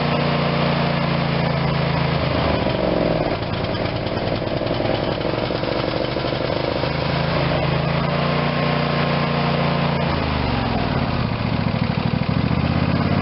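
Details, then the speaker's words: Craftsman YS4500 tractor, Briggs & Stratton 22hp Intek OHV twin, after carb disassembly/cleaning and intake reseal: steady even putter, no stumbles or hunting, smooth speed; now running how it should. "So now it's running how it should. We should have way more power."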